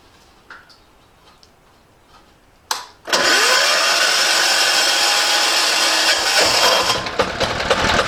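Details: Cheap diesel generator, bought non-running, after fitting a new air filter: short crank, then it catches and settles into a steady, even diesel clatter with no misses or knocks; runs healthy.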